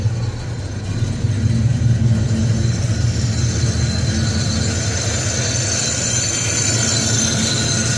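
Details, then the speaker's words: Box Chevy Caprice Brougham V8 with Edelbrock carburetor, previously popping from exhaust; cause was the spark plug wires, no timing or carb screw adjustment; now a steady, even idle with no popping or misfire. "I ain't mess with no timing no more. I ain't even adjust the screws or nothing. No popping."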